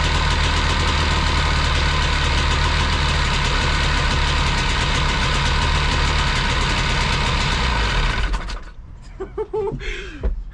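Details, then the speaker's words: Engine of a cheap used jet boat: fires right up and holds a steady, even low rumble at idle with no missing or knocking, then is shut off. "okay she fired right up and sat there in idle"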